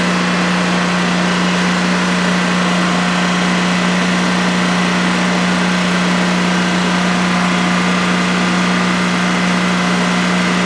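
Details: DuroMax XP15000HX generator installed in a shed, second start, running on propane with the exhaust fan off: a constant, even drone with a steady mid hum and no surging or knocking during a 5-minute run. Normal running, no issues.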